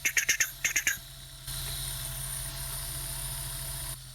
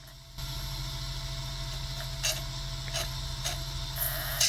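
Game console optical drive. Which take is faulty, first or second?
first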